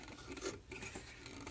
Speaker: Okay, so that is the scraping, rotating counterclockwise. It scrapes both directions, but that's gotten too tight for me to rotate any further.